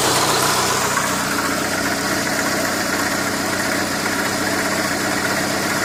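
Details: Renault Megane 2 at idle: light, fairly regular tapping about four times a second over the engine hum; engine knock.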